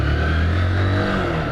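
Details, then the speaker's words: Motorcycle rear wheel after the rear bearings were replaced; the owner believed worn bearings caused a noise. On the post-repair test the rear wheel turns with a steady, even drone and no grinding or growl, now quiet and smooth. "Rapaziada show de bola galera Ó sem nenhum barulho rapaziada top demais viu macia macia ficou show de bola rapaziada viu"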